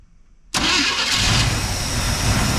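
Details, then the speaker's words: Abandoned square-body Chevrolet C10 with the fault traced to the ignition module or external ignition module: silence then catches straight away and settles into a steady, even run with no misfire; normal start and idle. "That's it. It runs. It was the ignition module or the external ignition module. One of the two. That's awesome."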